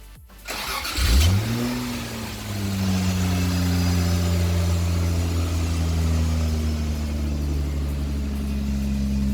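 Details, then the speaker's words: 1977 Toyota Celica RA28 with 1G-GTE swap, first start, intercooler not connected, makeshift exhaust pipe, heard from the rear: catches, flares, then smooth steady exhaust with no knocks or clunks; normal start and idle. "so I know that it does run it does work it sounds good it's smooth there's no knocks there's no clunks"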